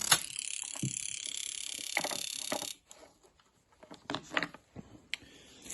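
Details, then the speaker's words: Jaguar XJ12 Coupe fuel injector removed from the rail, on an injector tester in continuous mode: rapid, even clicking with a hissing spray for about three seconds, opening and closing cleanly with a nice mist. "Let's put it on continuous. Press go. You can hear that clicking."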